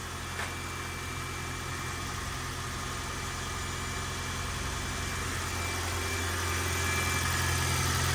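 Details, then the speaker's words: 481,000-mile Toyota Corolla hybrid on 0W-16 oil, cold start after sitting three weeks at about 19–26°F, still warming up: smooth, even low idle building slightly as it warms, no knocks, misses or rattles; owner says it's noisy with age but unchanged; normal cold-start idle. "engine sounds the same now it doesn't sound like a brand new engine but Toyota engines as they uh age they get noisy"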